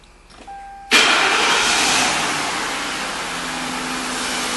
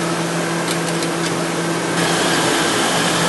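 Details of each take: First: 2000 Mercury Grand Marquis 4.6 L, after intake manifold gasket replacement and misfire repair: brief warning chime, then the engine catches at once and settles into a steady even idle with no misfires. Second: 2000 Mercury Grand Marquis 4.6L at idle, check engine light on: rough idle stumbling about three to four times a second. Misfire followed the ignition coil when moved from cylinder 2 to cylinder 3, so the coil is bad and will be replaced.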